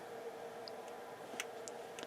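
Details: Yamaha CR-820 receiver: a quiet steady hum, then a sharp single click about 1.5 s after switch-on as the speaker protection relay pulls in; this relay is flaky, dropping a channel, and is suspected dirty.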